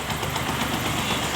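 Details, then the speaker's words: Bajaj Discover 150 motorcycle after a spring inside the engine was fitted and tightened: steady, even single-cylinder idle with no knocking or rattle over the exhaust beat; engine noise gone, running normally. "मैं अभी देखिए इसका स्वाद एकदम बिल्कुल अच्छा हो गया है"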